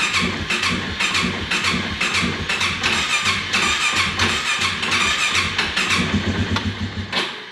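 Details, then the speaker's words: 2018 Polaris Sportsman ACE 570 with new top end, cold; fuel pump runs and fuel and spark are good, but it cranks in uneven sputtering bursts and won't start, suspected from tight valve lash and low compression; warmed up, it runs perfectly. "yeah see it just doesn't want to start if you feather the throttle just a little bit you get it to start up and then it'll idle"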